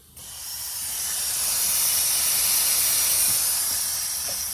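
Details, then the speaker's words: Turbocharged Corvette after a base tune, at no load: loud, steady rushing hiss of air escaping immediately at the mass airflow sensor, whose gasket seat is torn and cannot hold the gasket; fixed with a new sensor and gasket. "I'm gonna do a little digging around see if I can find this thing because that's leaking out all the air immediately I'm not doing anything with power so oh see it's actually coming out right from this uh this mass airflow right here"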